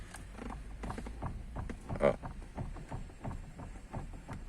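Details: Honda City with 137,000 km, engine off, steering wheel pulled back and forth: irregular creaks and dull knocks with each pull; electric steering noise, rack suspected but not confirmed.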